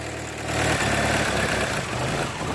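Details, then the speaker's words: Nissan Altima engine at idle: low uneven, lumpy beat that wavers, running pretty rough; very small metal flakes on the dipstick and in the oil indicate internal engine damage. "you can hear this this is a Nissan Altima it's running pretty rough"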